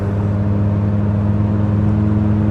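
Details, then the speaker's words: $390 Ford Probe at highway cruise, about 45 minutes into a long drive, heard from inside the cabin: heavy, steady low exhaust drone and boom with no letup; exhaust far too loud, causing a headache. "we are back it's been about 45 minutes I got to tell you if I got a pounding headache already can you hear the exhaust yeah listening to that"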